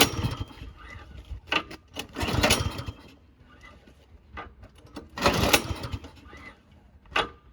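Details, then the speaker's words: Snowblower on choke, primed three times, oil and stabilized fuel checked: several rope pulls, each with a brief chuff, but it never catches. Priming three times is deemed not enough; gunked carburetor suspected as the usual cause. No-start. "right won't start um so the the number one thing here for us is priming it three times that's never enough"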